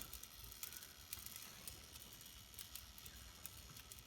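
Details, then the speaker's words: Dualit 3-slice toaster, model 3SLUK, found in a skip, run on a 1.5-minute timer with the safety guards removed: faint irregular crackles and pops as the elements warm. Old mouldy toast crumbs are burning off on the heating elements. "if i turn it on to a minute and a half there the red light comes on you can hear crackling coming from it a bit of moldy toast there"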